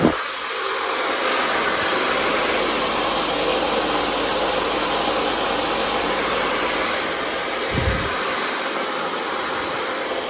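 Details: Thai rice mill running, steady whooshing hum with rice going out with the bran; the milling screen is cracked.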